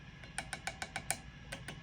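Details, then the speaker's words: Mesa/Boogie Mark V tube amp after sockets were cleaned and preamp tubes V1, V2, V5 and V6 replaced: about a dozen light taps die away at once with no ring or squeal. Preamp tubes now quiet. "and quiet love it so let's go ahead and put her back together run a play test see what's up"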